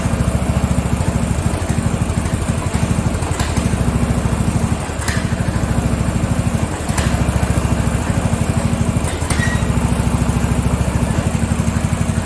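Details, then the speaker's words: Free Craftsman riding mower, lawn tractor 917.273760, small single-cylinder engine after tightening a loose pulley: fast, uneven chug with dips in speed; poor running, owner suspects not enough fuel. "I think it's fuel. I don't think it's getting enough fuel. Yeah, I don't think she's getting enough fuel. It just does not seem like enough fuel is running in there."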